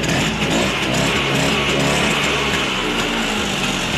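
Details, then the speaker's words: LML two-stroke scooter in for repair because it stalls after 2–10 km and then won't restart: it starts and settles into a steady, even idle with no misses or surging; normal idle before carburettor check. "Scooter ठीक से start हो रहा है और चल भी रहा है। यह ठीक है, स्टार्ट होने में कोई समस्या नहीं है।"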